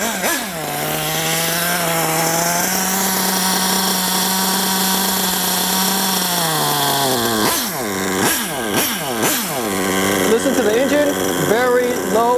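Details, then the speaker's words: Nitro RC car engine with low-speed needle deliberately set too rich: low, slow, labored idle that sags and responds sluggishly to throttle blips, very slow acceleration, lots of blue smoke. "kind of labored idle listen look at the acceleration very slow acceleration lots of blue smoke"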